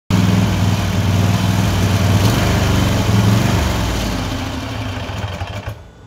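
A rough, lumpy twin beat with an uneven rhythm and wavering level, then fading out; it is hunting and misfiring.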